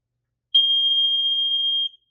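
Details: Kidde/Nighthawk KN-COPP-B carbon monoxide alarm, 1997, 3 AA batteries: single steady high-pitched beep about one and a half seconds, normal self-test tone.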